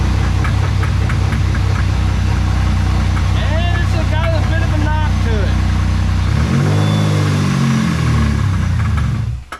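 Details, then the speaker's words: 2002 Chevrolet Camaro V6 before an LS swap: right after start it runs rough with a heavy, loud knock about four times a second over the idle; engine to be torn down. "Okay so as you can tell it's got a bit of a knock not just a slight knock it kind of sounds like a it's maybe a rock Crusher but hey that's easily fixed"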